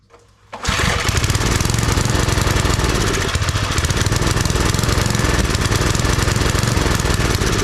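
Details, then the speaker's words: Old Briggs & Stratton 5 hp wood splitter engine after reassembly, spark confirmed, plug carboned; loud, lumpy uneven beat about four per second. Fuel starvation; carburetor needs parts, carb kit planned. "See, it's acting just like when I got it back together. It's not getting its fuel."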